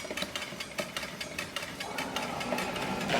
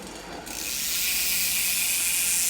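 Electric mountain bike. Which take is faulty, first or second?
first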